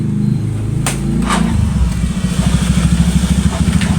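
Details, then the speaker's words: Yamaha Mio GT scooter that is hard to start and dies when throttled. A slow, labouring starter chug of about three pulses a second that never picks up; weak cranking, hard start. "Mio GT yaitu dengan keluhan motornya susah hidup dan sekalinya hidup itu mati digas mati ya."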